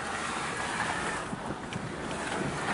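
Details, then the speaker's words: 1999 Intrepid/Concord driven over potholes after replacing the sway bar bushings: steady road and wind rush with only soft thuds, and the former front-end clunking and rattle is gone. "Oh yeah, nice and solid. That took care of the rattle."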